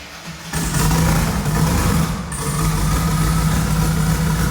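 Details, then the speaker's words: Twin-turbo LS-swapped first-gen Camaro on its original tune and 93 octane instead of E85, running rich. Lumpy, uneven idle with a stumbling exhaust beat; four passenger-side coils were left unplugged, so those cylinders got no spark and misfired. "all right well turns out i'm a complete idiot because i left all of these coils unplugged so all four of those banks on the passenger side were getting zero spark so that will make a pretty big difference on how it runs"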